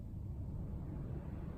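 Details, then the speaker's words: Honeywell T6861 thermostat replacing a T6574A on a cooling-only fan coil AC unit: after the fan-speed wires were swapped, relays click and the blower settles to a steady, smooth low whoosh on low/medium, with no rubbing, rattle or surging. Normal fan operation. "Oh they took a while for it to figure out what it's doing but you can hear there was relays so now lo seems to be low medium"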